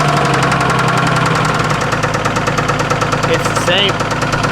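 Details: Junkyard Ford Ranger with severe rod knock, running after a gallon of Lucas oil additive: heavy regular knocking at idle, roughly two per second; worn connecting rod bearing.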